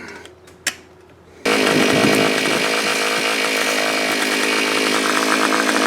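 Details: Earthquake auger after replacing deteriorated fuel lines and fuel filter, with fresh fuel: a quiet tick, then the engine fires and settles into a steady high buzz with no stumbling or dying; now running properly.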